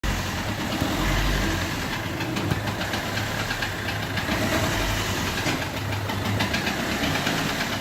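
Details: Peugeot 1.3 HDi diesel idling rough with uneven beat and faint irregular knock, losing compression on cylinder four from a bent valve not closing fully; resembles injector compression loss.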